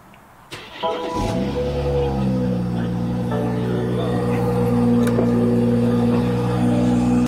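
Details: BMW 340i B58, after replacing PCV diaphragm that caused smoking and whistling at idle: engine cranks, catches and settles into a steady even idle with music over it; runs clean and smooth.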